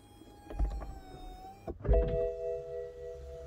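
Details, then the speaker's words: BMW 6 Series E63/E64 convertible: electric window motors whir steadily as all windows wind up after the soft top closes, stopping cleanly with no grinding and no red warning light; windows and soft top working normally. "and that's it all windows wind up keep holding the button there we go all windows closed no red light that's very important"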